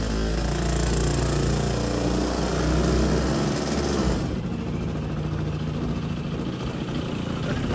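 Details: Two-stroke tuk-tuk: uneven, lumpy putter that falters and drops away partway through; runs lumpy and stalls, carb may need adjustment, not yet running properly.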